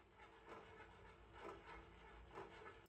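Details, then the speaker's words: Gear-driven ceiling fan, blades removed, after it stopped working again; quiet hum with a faint click about once a second with rotation; owner suspects disintegrating teeth on a plastic gear, same plastic as the one that broke. "Now it's got a weird click to it though."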